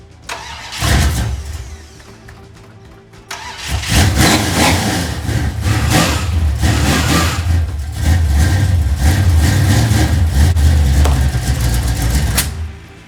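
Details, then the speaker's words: 1968 Dodge Dart GTS pro-street V8, first start of the season after winter storage: brief crank and stumble, then catches and runs lumpy with uneven blips; hard cold start, owner suspects carburetor issues, possibly flooding. "as i said she's a cold-blooded pig may have some carburetor issues i'm not sure it felt like it was flooding out a little bit"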